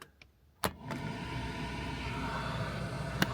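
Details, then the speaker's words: LDV 400 van heater blower after rewiring, a new switch and a fuse, following an arcing short near the heater matrix: a click, then a steady airy whoosh with an even low hum, blowing air through the heater matrix radiator; running normally. "hear it blowing now underneath there, and that's blowing air through the radiator of the heater matrix. That's all good, and it's all on a fuse this time."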